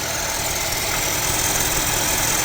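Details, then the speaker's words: Mercedes-Benz CLA W117 with coolant loss and Top Up Coolant warning: loud steady whirring rush at idle from front of engine; bearing noise suspected to be the water pump. "เสียงอะไรวะเสียงปั๊มน้ำป่เสียงดังน่ากลัวมากอ่ะ"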